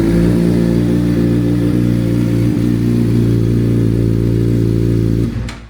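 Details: 2017 Suzuki GSX-R 600 just after an ECU flash tune with the O2 sensor turned off, started holding the clutch: smooth even idle with a steady low drone, no misses or clatter, then a clean shutdown and no engine lights; healthy.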